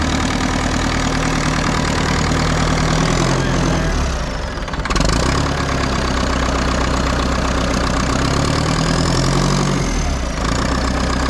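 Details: Front end loader diesel, unused about 15 years, now running a few minutes after getting fuel through and topping up the water: steady low clatter at an even idle, a brief dip midway then settling back; healthy idle.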